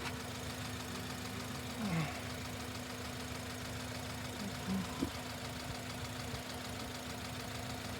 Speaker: basically we have a running engine here and you can hear it and uh it really doesn't sound anything abnormal if this engine were in your bay